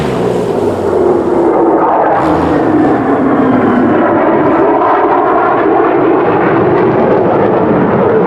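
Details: 2010 Arctic Cat Z1 Turbo snowmobile with an aftermarket exhaust replacing the heavy, overheating OEM muffler: loud throaty roar swelling and settling with throttle, even, no misses; engine and exhaust healthy.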